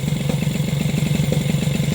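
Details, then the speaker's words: Moped engine on a modified SPX/RCX mount with a polyurethane spacer, idle reset to 1440 rpm, filmed on a phone: fast uneven idle with a pulsing thud and occasional taps; owner suspects the engine touching nearby parts. "voilà ce que ça donne en terme de vibration avec un ralenti à 1440 tours voilà des fois ça tape là"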